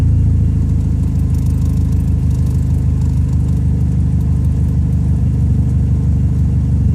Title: St205 engine misfire